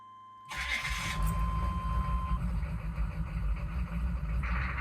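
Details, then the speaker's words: Chevy/GMC 6.5 turbo diesel truck with an aftermarket turbo and an inexpensive pump mounted driver (PMD), first start: it cranks, catches abruptly and runs lumpy. A rough first start every time from the PMD; restarts are fine. "so you saw there uh you saw the truck fire up um as we' said a couple times now had a bit of uh a rough start with the uh inexpensive PMD and then uh you shut it off and fire it up and it fires up no problem and runs and drives great"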